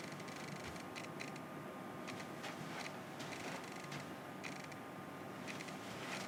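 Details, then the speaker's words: Nikon F-mount 1.8 lens on a Nikon Z6/Z7 via adapter, tracking focus in a quiet room: short bursts of light clicking and whirring as focus shifts; autofocus motor working. "now I can hear it certainly doing something I can hear the clicking and wheezing so I know the autofocus is active"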